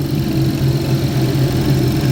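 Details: 2011 GMC Terrain with past P0341 cam code, warm after 20-mile drive while cam wiring is wiggled; no fault, only an inefficient catalyst. Low steady hum, no stumble, sputter or ticking; normal warm idle.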